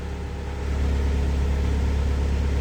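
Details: Mitsubishi Montero diesel after new EGR valve and motor fitted (failed turbo background), check engine light still to be reset: catches and settles into even, deep idle with no whistle or hiss; previous whistle gone, normal start and idle.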